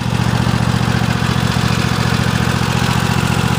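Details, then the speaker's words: Cub Cadet XT1 Enduro lawn tractor, 2015 engine in a 2016 machine, 4–5 years old: slow, steady single-cylinder thump at low idle with no surging or misfire; engine healthy. "nice good low idle speed that's got it up a little bit Mack power and low speed again that sounds great good to go"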